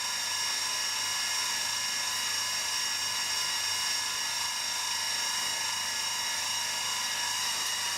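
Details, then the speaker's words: Tiny-house fireplace heater blower, first use of the season at 7°C indoors: loud, steady, piercing scream with rough grinding that never changes pitch; owner suspects a bad bearing in the fan. "So obviously one of the bearings in there is a little nasty. Grinding away, as you can hear."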